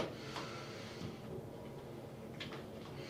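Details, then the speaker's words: Glass shower door after AIM lubricant applied to top and bottom of the hinge: swings on its own with only faint soft clicks, the previous squeak and creak gone. "The door opens automatically on its own, but I'm not touching it. No sound at all. That's absolutely amazing."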